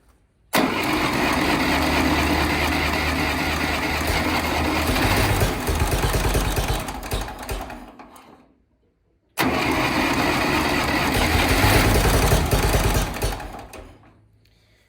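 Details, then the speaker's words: 1960s Massey Ferguson 204 forklift with a Continental gas engine, after new spark plugs and an oil change, no choke cable hooked up: two long even cranking attempts that don't catch; hard starting. "really need to get a choke cable hooked up for this thing start"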